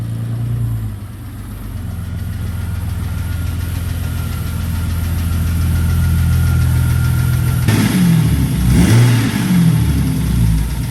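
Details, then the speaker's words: Rough idle with a loose rhythmic tapping, about three a second, then a rev blip on a Jeep Cherokee XJ 4.0 awaiting a motor swap; internal engine noise, cause unclear. "Oh, what is that? No bueno."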